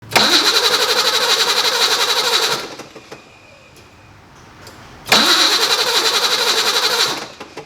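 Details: BMW E28 with M30 engine, cranking after a recent spark plug wire loom replacement: two cranking bursts of about two and a half seconds, steady fast churn at roughly four per second, never catching; no-start from corroded distributor cap and rotor.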